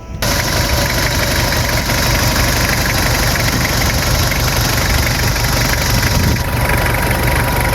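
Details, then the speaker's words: 1999 Toyota Kijang Krista 2.4 diesel manual, 215,000 km, idling after start. Steady, even diesel clatter with no irregular knocks or dropouts; engine still sounds crisp and pleasant, wear reasonable, healthy idle for its age. "Gimana? Suaranya masih nyaring kan? Masih enak banget didengar."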